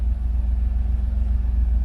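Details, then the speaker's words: Chevy El Camino G-body with LS swap and Holley EFI, slightly warm, after fixing air-fuel reading by hooking up the internal MAP sensor (AFR now about 14, was 9–10): low, even rumble, no misses or surging, revs briefly rise then settle; normal idle. "hey that's that's a lot better you see it uh it'll shoot up a little bit it comes back down right where it should be"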